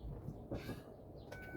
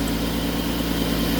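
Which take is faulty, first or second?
first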